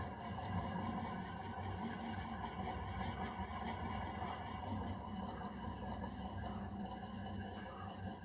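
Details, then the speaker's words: 1970s CG HB 56-inch 1400mm ceiling fan, 67W, 50Hz, 265-270rpm, original windings and 2.25mfd capacitor, running without blades: quiet, gritty grinding under the motor hum from worn bearings needing replacement; worn motor bearing. "so the fans Potter has been installed let me turn on grinding noise from the bearings you can hear"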